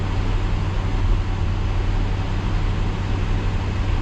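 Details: 1966 Ford Galaxie 500 352 4V V8, cold-started after over three months sitting at about 47°F, warming up: a deep, even low rumble at slow idle with no knocks, misses or ticks. Normal idle.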